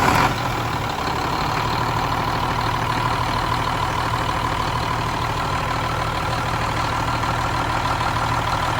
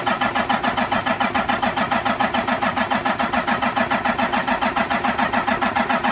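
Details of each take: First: Cummins M11 diesel semi truck after new fuel lines, fuel system primed and bled: short crank catches right away, steady even idle, no misfire; starts no problem, no more air bubbles. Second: Cummins M11 diesel semi truck after fuel filter change, during priming: fast even starter chugging with no firing or catch; fuel system not yet primed, air in it.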